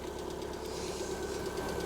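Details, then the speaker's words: 2018 Lada Vesta 1.6, 84,000 km, cold start at -32°C. Light, quick ticking from the top end persists minutes after starting: one hydraulic lifter near cylinder 4 fails to pump up. "гидрокомпенсатор где-то здесь вот у четвертого цилиндра гетто здесь колбасит отчетливо слышу не как прокачаться не может"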